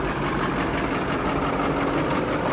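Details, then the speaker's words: Massey Ferguson 1800 tractor, diesel, once seized engine revived, idling warm after chisel-plowing: even, unhurried idle with soft steady clatter, no misses, knocks or surging; healthy. "listen to that baby just her ain't that beautiful yeah who knew that 8 months ago that was a Seas up engine this was going to the scrapyard and now look at her just singing along like a"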